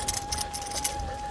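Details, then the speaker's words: Rear hub seal (gasket) on a gravel bike squeaking during a ride on field and forest gravel roads: a thin, steady high-pitched squeal over gravel crunch, like the seal is about to die; rear hub seal squeak. "As you can hear, my rear hub gasket squeaks like it was about to die."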